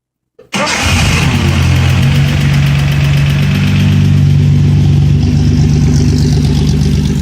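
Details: 240Z engine catches and settles into a steady low idle with an uneven knocking beat, about four a second; bad internal engine noise, cause unclear.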